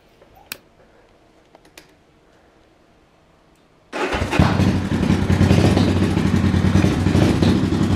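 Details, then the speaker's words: 1974 Honda CB500T cafe racer, electric start: four-cylinder catches and settles into an uneven, lumpy, wavering idle, hard time staying running; owner plans carb rebuild and carb sync, cause not confirmed. "it runs but it has a hard time staying running and it's a little bit rough"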